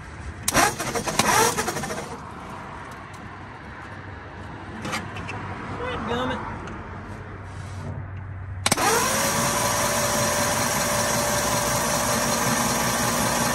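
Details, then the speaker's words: 1939 Ford 1.5-ton truck flathead V8, parked about 65 years with water in the oil pan, cranked on a boosted battery after breaking the engine loose: starter whirs at an even pitch, engine turning over freely without binding; cylinders look fairly good. "well we got her loose she turns over pretty good too and the cylinders don't look bad bad we made a mess everywhere but she whirls over"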